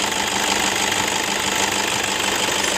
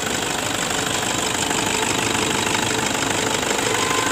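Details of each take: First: 2011 Toyota Fortuner 2KD 2.5 diesel at idle: rough uneven knock and metallic jingle over clatter from worn belt tensioner assembly and idler pulley bearing. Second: 2011 Toyota Fortuner 2KD 2.5 diesel after replacing belt tensioner assembly and idler bearings: steady even diesel clatter at idle, no squeal, rattle or rough belt noise; engine much smoother.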